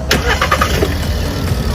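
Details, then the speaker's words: Hot restart with engine still warm, after cleaning a dirty intake air temperature sensor that caused hot no-start: brief crank, catches at once, settles into a steady, even idle; fault fixed. "着了，再试一次，一把着，去前面看看，哇，发动机运转的特别平稳，来你看，问题已经彻底解决了"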